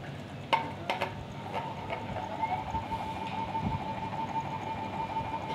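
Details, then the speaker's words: Ceiling fan running on a series connection with a steady, slightly warbling whine and faint rattle; it gets much louder when run directly. Cause: worn bearing seat. "इसके अंदर से आपको शोर की आवाज आ रही होगी और यह जब अभी तो मैंने सीरीज पर चलाया आप देख रहे हैं अगर इसे हम डक्ट चलाए तो यह अच्छा खासा शोर [संगीत] करेगा"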